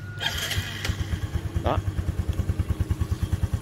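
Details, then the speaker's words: Yamaha Sirius Fi fuel-injected motorcycle starting after battery replacement: small single fires up and settles into an even putt-putt, about three beats a second, steady and clean; normal idle. "giờ nó hoạt động bình thường"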